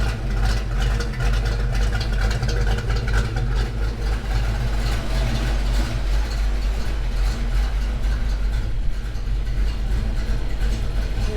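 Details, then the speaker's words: Ford Foxbody Mustang V8 just after a cam swap, idling: lumpy idle with a light quick tick in step with engine speed, worse as it warms; owner suspects a loose rocker or stuck lifter. "Alright, so I don't know if it really is showing up on the video or not, but there's definitely a bit of a tick over here. Like I said, I'm going to use that stethoscope and see if I can hunt it down. It seems to get a little bit worse as the car warms up."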